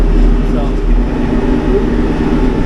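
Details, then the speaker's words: Del Morino flail mower clearing brush: steady deep rotor rumble with a rough grinding edge as the hammers hit something and the rotor slows under load; hammers were checked earlier with nothing broken. "slowing down there grinding over something see what it's grinding"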